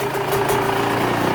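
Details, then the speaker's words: Yamaha YZ125 two-stroke, 25 over, properly jetted with good head profile; crisp, even idle with steady buzzy tone and no misses or surging, motor sounds good and tight. "one see if she'll idle for for a second here you go motor sounds good and tight"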